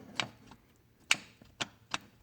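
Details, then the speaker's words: 1993 Honda Goldwing GL1500 with Champion trike conversion: four sharp, unevenly spaced dry clicks as the driveshaft universal joint is worked by hand. The joint is visibly torn up. It caused the click-clunk from the transmission area on throttle up and down; the transmission is fine. "All right, that is our clicking and our clunking sound. As I thought this bike had a bad universal, it turned out to be the universal and not the transmission, thank the good Lord."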